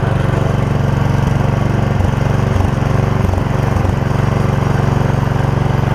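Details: Old Gravely 16 Professional walk-behind mower with sulky attachment, original parts, driving up the driveway: steady, even single-cylinder beat, firm low thrum, only brief load dips; healthy engine running smoothly.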